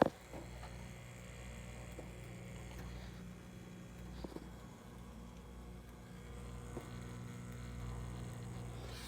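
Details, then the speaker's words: Samsung front-loader washer showing "nd" (no drain) fault: drain pump powered but giving only a quiet steady low hum, not turning its blade or moving water; motor may be dead or electrically faulty. "humming noise where it's going that humming noise is telling you that the blade is trying to move now the motor might be dead"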